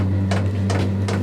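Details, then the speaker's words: Newly installed diesel heater in a DIY truck camper, with a loud dosing pump: a steady low heater hum with sharp pump ticks about every 0.4 s as the flame kicks on during the ignition phase; normal fuel pump ticking. "Yep, there goes the pump. Like I said, very loud."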